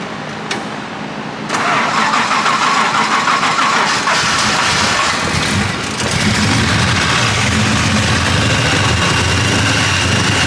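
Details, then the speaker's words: Six-cylinder car, first start after cam degreeing: cranks, catches and settles to a fairly steady, rich-sounding idle that clears up after a few seconds and seems to fire on all six; rough running after first start. "I can't tell if it's hitting on all six it sounds like it is sound it hold it yeah go for it yeah starting to clear up"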